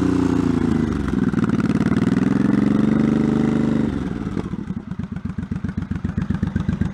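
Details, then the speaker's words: 1984 Honda Shadow VT700C V-twin, first start after 7+ years idle and full rebuild (carbs, fuel lines), started with starting fluid: revs held briefly then lumpy but regular idle about four beats a second; running fine, possibly residue burning off. "okay well it's running yeah Minor Adjustments figure out why the RP gauge isn't working"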